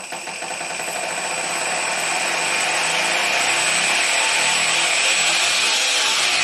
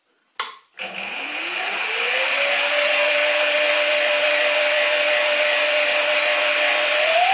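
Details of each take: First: Stepper motor on a cheap TB6600 analog driver without microstepping: a hiss while merely holding, then rough, raspy whirring with thin whistles when stepping at moderate speed. The same motor was quiet on the DM556 digital driver. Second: Stepper motor on DM556 digital driver, full steps at low rpm: clean, steady tone climbs as speed rises then holds with no roughness or holding hiss, absolutely quiet, normal running.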